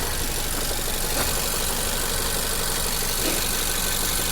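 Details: 2022 Nissan Rogue with cylinder 3 misfire code and knocking: rough uneven idle, stumble about three times a second, during coil/plug swap testing; one cylinder misfiring.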